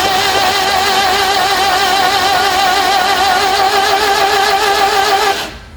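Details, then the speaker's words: Vauxhall Magnum stored 37 years in a garage: steady wavering whir cranking for several seconds without catching; no spark found, coil probably dead, suspected not confirmed. "so it doesn't appear that we have a spark probably coil's dead I would imagine"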